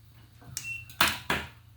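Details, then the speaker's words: Cashless timer vending payment station for court lighting, selection set to a 1-second pulse: quiet room, then two sharp clicks about a third of a second apart as the relay pulls in and drops out normally. "you'll hear a loud clink then that's going to be the relay clicking in"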